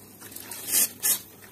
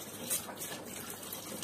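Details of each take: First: Gas combi boiler heating radiator being bled after system pressure is raised to about 2 bar: two sharp hissing, spitting bursts as the bleed valve opens, releasing trapped air along with water. Trapped air in radiator. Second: Combi boiler central-heating radiator being bled at its valve while system pressure drops from about 2 toward 1 bar. Steady, unbroken rush of water with no spitting or air bursts, so the air is fully purged.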